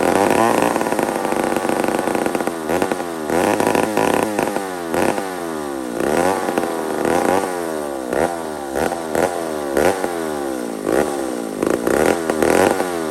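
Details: Old McCulloch 1-71 two-stroke chainsaw after a carburetor upgrade: surges and sags irregularly, revs rising and falling on their own; owner sees a huge vacuum leak at the intake gasket.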